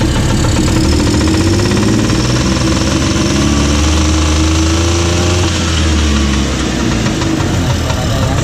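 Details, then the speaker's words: Old orange Bajaj three-wheeler (ex-Jakarta transport, rear chain drive, Vespa-style gearbox, kick-lever start), two-stroke burning lots of oil with visible smoke, just started; uneven burbling idle, loud rough antique exhaust with deep drone, healthy old engine. "Lihat asapnya ya. Nah, ini karena 2 tak, olinya banyak ya. Nah, ini suara knalpotnya seperti ini."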